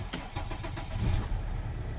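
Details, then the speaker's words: Mercedes ML320 CDI W164, OM642 diesel, cold start after repair (glow plug module/controller replaced; owner had already fitted six new glow plugs, ECU code 2270-4): brief crank, catches immediately, settles into even idle: normal cold start. "we go as you've seen started to stray away and that's it"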